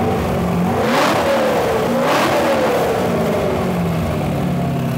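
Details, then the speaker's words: LS-swapped widebody Porsche 911 at full operating temperature after about 30 minutes, 25 psi hot idle: revved smoothly twice to about 3,000 RPM giving 45-50 psi oil pressure, clean rising and falling note with no knocking or ticking. "revving it up only to about 3,000 RPM and we're getting like 4550 PSI hot and listen to this engine no noise whatsoever"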